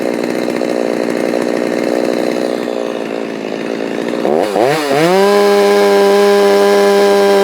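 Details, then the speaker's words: Stihl MS390 chainsaw with aftermarket HiPa carb replacing Walbro OEM, tuned slightly leaner from about 12,200 to 12,500 rpm, no-load: warbly burble climbing to steady wide-open scream, four-stroking at top end; normal safe tune, owner thinks maybe still slightly lean. "Alright, there's 12,500. And you can hear it kind of floor cycling at the top end. You know, kind of as I get wide open."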